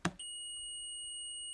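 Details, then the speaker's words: PS3 with no red light that only beeps and won't power on: a steady high multimeter continuity beep shows a small capacitor on the board shorted to ground; it is removed with flux and hot air at about 450 degrees to confirm. "so there is definitely an issue on this so to um take this out we will use a flux and also hot air at around 450 degrees let's remove it just to make sure that the short is gone if it's gone the problem is this little capacitor"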